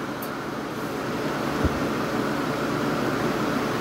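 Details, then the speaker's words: 1986 Kenmore air conditioner on high cool, outlet in the 50s °F, compressor audible; even rush of air over a soft fan drone, no rattles or cycling; normal running. "anyway it's about 50 something and i'll go ahead and install the fan you can hear the compressor although you can't see it put it on low fan and we'll measure the temperatures"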